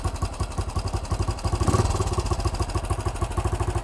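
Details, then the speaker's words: Vintage BSA single being revived after starting trouble. With the carburetor idle screw turned up, it ticks over on its own with an even, steady thump and regular firing, no misses; this is before the mixture screw is set. "Now, the bike's now running on its own carburetor setting. That sounds a bit better."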